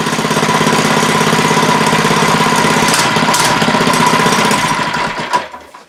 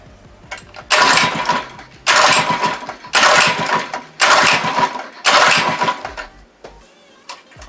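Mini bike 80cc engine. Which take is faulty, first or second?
second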